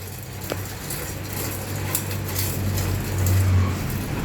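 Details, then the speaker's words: Bicycle bottom bracket pedaled by hand with the chain removed: irregular crackling creak and clicks on every crank turn, not the freewheel; dry, broken bottom bracket bearings. "esse aqui dá um estalo e ele fica rangendo parece que tá tudo bilha Seca Tudo quebrado por dentro então o barulho aqui é na caixa Central não é catraca né"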